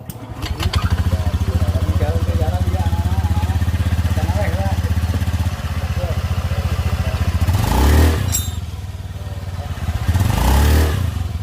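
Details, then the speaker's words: Honda Beat scooter after gluing the CVT clutch bell cover plate: idles low and revs cleanly on throttle blips, the squeal from the rear of the CVT case now gone. "nah berhasil ya jadi suara nyericit yang tadinya itu saat digas suara nyericit itu bunyi sekarang sudah hilang"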